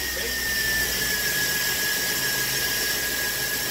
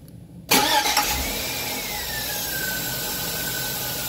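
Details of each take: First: 2003 Chevy engine running: a steady, high-pitched squeal holds at one pitch from the accessory belt drive. Cause suspected, not confirmed. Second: 2003 Chevy after fitting a new Gates belt (water had briefly stopped the squeak; belt conditioner made it worse): the starter cranks and the engine settles into a steady idle with no chirp or squeal. Belt drive now quiet.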